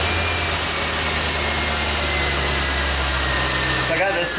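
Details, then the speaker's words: 1989 Chevrolet Corvette C4, no start when hot diagnosed as bad fuel injectors, started for amp-clamp injector test: catches and settles into steady, even low hum at idle, no stumble or miss; running cleanly. "Going to fire it up here, assuming it runs, and throw it up on the injector."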